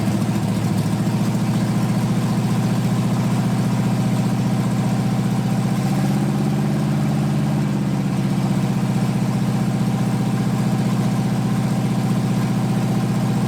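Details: 1980 Dodge short-bed truck big-block V8, first run in 14 years, during cam break-in after converting from points back to factory electronic ignition; steady high idle, smooth even firing, no misses or knocks, normal running.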